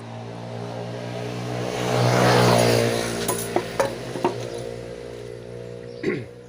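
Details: Automatic scooter after repair of a kick-start shaft that had slipped inward against the fan: starts and settles into a smooth steady hum, revs cleanly, no rubbing or grinding; sounds healthy.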